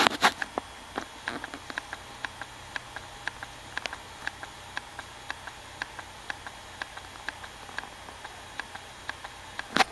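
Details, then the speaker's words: 40 GB IDE external hard drive connected to a Windows 7 64-bit PC, which fails to recognize it (works on XP): sharp, dry clicking about twice a second over a quiet hum; head-read failure suspected, not confirmed. "still waiting and I bet you it's still clicking"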